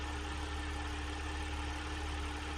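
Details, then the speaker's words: Audi 3.0 L supercharged engine (S4/SQ5) idling a few minutes after an oil change: warm, steady, even hum with a low smooth rumble, no knocks or misses; startup sounded smoother than the idle; healthy engine, normal idle. "well that's an Audi for you guys if your Audi sounds the same you have a healthy engine if it sounds more rough you have to check it out as a problem"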